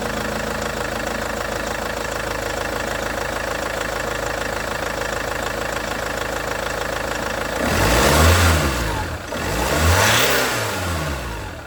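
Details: Range Rover Evoque after auxiliary belt tensioner/pulley replacement: steady, even idle with no belt-drive rattle, then two clean throttle blips rising and falling smoothly; sounds better after the repair, normal idle.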